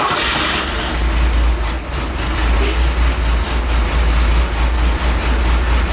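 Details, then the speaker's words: 1969 Porsche 911 T that began misfiring and lost power while driving, after recent carb rebuild, new plugs, wires, cap and rotor: lumpy uneven idle rumble with stumbling beats; owner feared a burnt valve. "all right i don't know if you can hear it it's definitely you can see it in the engine it's not happy"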